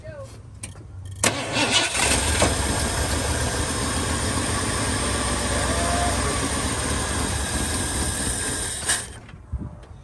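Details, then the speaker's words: 1978 Ford F150 that sat unrun for years, with old gas in it: starter cranks, the engine catches and runs rough for several seconds, then dies; it won't pick up fuel on its own, and the owner suspects the fuel pump. "we had it fire off but it just wouldn't pick up any fuel of its own so we're gonna change the pump"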